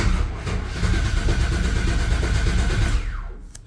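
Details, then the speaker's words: Clapped-out K10 truck first start after installing a new distributor, previously misfiring: engine catches and runs lumpy and uneven for about three seconds, then dies; owner suspects too much timing. "Here goes nothing, boys. Oh, sounds like it had too much timing in it there."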